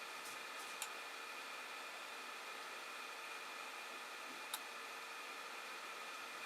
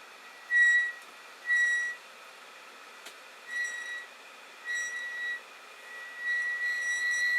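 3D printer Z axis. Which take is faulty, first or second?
second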